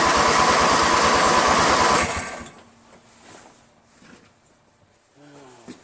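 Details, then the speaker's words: Briggs & Stratton 13 hp flathead lawn tractor engine, first cold start with full choke, full throttle and starting spray: fast regular starter chugging for two seconds, never fires; has spark, backfired once, keyway checked fine; cause unknown. "It actually backfired once. Tried to start it again. All I heard was a pop."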